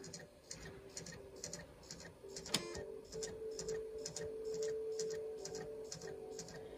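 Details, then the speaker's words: Nintendo Wii with a Donkey Kong disc inserted: quiet, fairly regular ticking about four times a second over a faint motor hum as the drive keeps seeking, then an error appears; owner suspects a bad disc drive and replaces it. Disc drive clicking, failing to read. "that doesn't sound good so my guess is the disk drive is bad and eventually it stops and you get this error"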